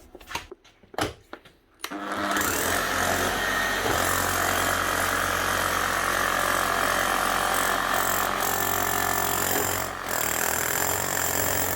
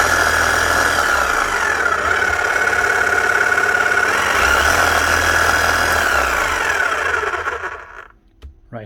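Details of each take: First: Makita HM1111C chipping hammer, previously overheating, down on power and hammering poorly, after full service and new armature/motor; after handling settles into steady, rapid, even pounding, no grinding or stutter; healthy. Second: Makita HM1111C non-rotary chipping hammer, old and heavily worked, overheating and down on power: thin sluggish whine with weak uneven beat, then cuts off; motor running very slow.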